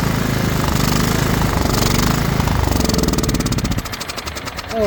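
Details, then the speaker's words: Craftsman LT2000 riding mower, battery dead so jump-started from another tractor, spark confirmed: rapid starter chugging about three and a half beats a second, never catching; cranks but won't start because there is no gas in the tank. "Oh, ain't got no gas in it."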